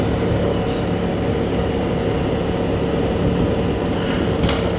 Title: Transalp 750 let down by loud tyres